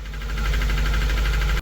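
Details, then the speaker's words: Engine that shut off on the highway after a loud pop: heavy rough running with fast rapid clatter, then cutting out; a thrown connecting rod sticking out through block and pan. "Customers states it turned off on the highway after a loud popping noise and now it runs bad. It's not every day you can see the whole rod sticking out of the block and pan after they drove it in."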